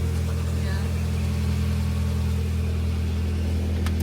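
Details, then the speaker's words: Nissan 240SX after replacing a severed, thin exhaust header gasket that caused a tractor-like sound: steady, even low idle with a smooth exhaust note, no ticking or puffing, much quieter and less reverberant; normal idle. "so much quieter up there. It doesn't sound as like Reverby in here. yeah. Sounds better."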